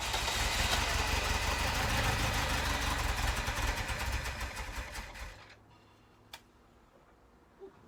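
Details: 1983 Ferrari 308 in a rebuild, with a new fuel filter and fresh fuel from jerry cans added: steady, even cranking at about three beats a second for five seconds that never catches. Cranks but won't start; a fuel issue is suspected, not confirmed.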